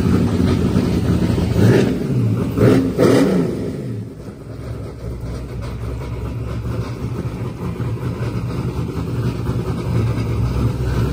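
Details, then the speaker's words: LS-powered Corvette Z06 on a Holley ECU during a boosted run: revs climb hard through the early gears, then stop rising in high gear as the Holley boost safety cuts in and reverts to wastegate pressure. Boost safety power cut in high gear. "if you listen closely you could hear when it gets out there in high gear it just stops increasing RPM pretty much hit boost safety in the Holley"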